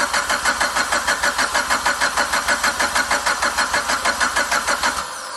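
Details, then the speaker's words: Car just fitted with FP Red turbo, first start with open downpipe, no exhaust: loud even cranking pulses about three per second for five seconds, then catches and settles to steady run; no leaks, normal start. "Alright, we're going to give her a start. It's open downpipe, so it's going to be really loud, but just make sure nothing leaks or anything."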